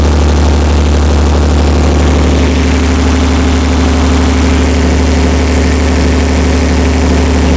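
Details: Perkins 354-series diesel on a 45 kW Empire generator, just started cold after injection pump reinstall: steady even low rumble at about 50 Hz, no misses or knocks; making voltage, oil pressure fine, running normally.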